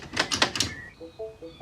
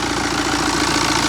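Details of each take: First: 2013 Mini diesel, N47 engine, reinstalled after timing chain replacement: starter spins fast and evenly about three seconds with light uniform pulses, no firing; briefly started then cut out, owner suspects no compression. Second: 2013 Mini N47 diesel, first run after timing chain replacement and engine refit: steady idle with even, light tappet clatter, no misses or hunting; running normally.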